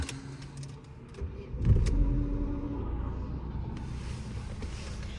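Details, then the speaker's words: 2009 Opel Astra G sedan with swapped 1.6 engine (X16XEL per title), after a battery drain caused no-start; started after ECU resets, idle settles with no errors; brief crank then steady, even low idle; normal start and idle. "що машинка заводиться нормально після ресетів дивіться ще треба перевірити холости і у неї а ні нормально зараз попуститься холостий в неї нормальний і помилок немає"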